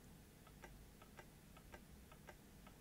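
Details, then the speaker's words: Canon UC-X10 camcorder powered at 6.1 V from bench supply: light steady clicking about three per second as the tape mechanism repeatedly fails to eject a stuck tape; power supply not hitting its current limit. "this makes a clicking noise"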